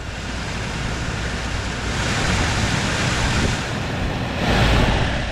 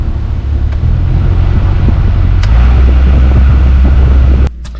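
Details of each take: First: 2013–2019 VW Beetle HVAC blower motor after removing a ticket lodged inside the fan, car on, fan running: smooth airy rush with gentle airflow swell, no rattle, ticking or scraping. Normal blower fan. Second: 2013 VW Beetle HVAC blower motor behind glove box, even with A/C off; loud heavy rumble and fluttering from the dash fan; foreign object lodged in the blower wheel.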